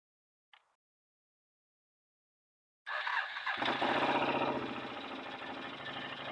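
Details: 2008 Can-Am Outlander Max XT 500 with overheating and limp mode. Aftermarket cooling fan forced on by unplugging the sensor kicks on with a loud, rattly scraping whir as the blades rub against something.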